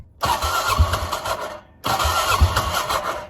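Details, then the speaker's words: 2006 Can-Am Outlander 400 HO 4x4 ATV sat for years: two short starter bursts, each about 1.5 seconds with no catch, on a finicky key; it then starts and runs once fuel is given. Hard starting. "needs a little fuel i can't operate this dude there we go yeah okay so it runs"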